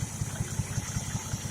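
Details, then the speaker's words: 1968 Sprint OHC six-cylinder in a 1950 International Harvester L110 pickup, first start in 35 years after freshen-up and tune-up, fed from a gas can; low even pulsing, no ticking or noise; normal idle. "Runs beautiful, man. Let's listen to that, eh? No ticking, no noise."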